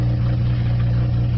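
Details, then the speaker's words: Nissan Altima SE-R, after AC condenser and radiator replacement: low, uneven idle with a wavering, lumpy beat under the engine hum; still idling rough. Owner mentions one vacuum leak not yet fixed; cause unconfirmed. "it's still idling pretty pretty rough but like I said as the I'm one vacuum leak that I'm not able to fortunately picks right now"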